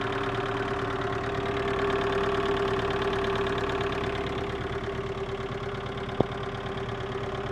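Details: VAZ 2112 1.6 16v at idle, knock appeared after head gasket replacement: uneven tapping about three per second over a constant hum; engine knock, source not pinned down.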